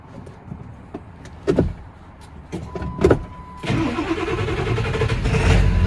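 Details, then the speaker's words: 2000 Ford F350 7.3 Power Stroke diesel on a cold start near 30°F, after replacing a faulty glow plug relay: it catches immediately and settles into a steady rumble. A normal cold start after a hard-starting fix. "I just replaced the glow plug relay. See how it starts now."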